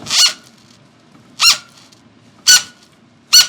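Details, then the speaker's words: Rear bicycle tire on a frictional indoor road trainer squeaking sharply about once a second as it slips on the smooth flywheel roller. "so wheel slippage is a common thing on these trainers due to the tire rolling against a flywheel so sometimes the tire has a hard time keeping traction on that nice smooth wheel"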